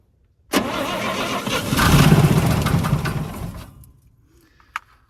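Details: 1962 International Harvester C-100 six-cylinder, no carburetor, run on starting fluid, with coil and starter solenoid hot-wired while sorting out the ignition: short crank, catches straight away, runs about three seconds before dying; engine starts and runs.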